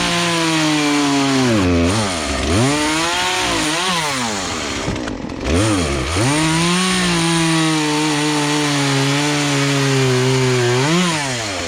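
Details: Poulan Pro two-stroke chainsaw, sat unused about three years, after carburetor adjustment, cutting small logs; high steady pitch dips as it bites the wood and picks straight back up; runs clean and strong.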